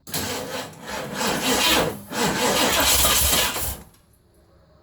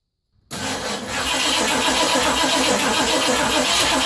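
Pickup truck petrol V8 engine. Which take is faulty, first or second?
first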